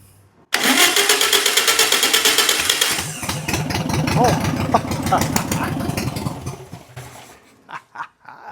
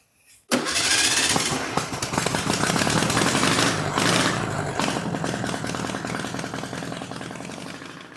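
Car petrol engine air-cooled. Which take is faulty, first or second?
first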